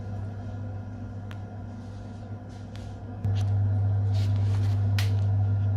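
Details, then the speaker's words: Biasi M90F 24S combi boiler with a no-hot-water complaint, heating switched on at the timer: diverter valve moves and the burner fires with a steady low hum that steps up slightly then holds, no dropouts or surging; normal burner operation on heating. "So let's turn it on the timer. Need a diverter valve, and it just fired up."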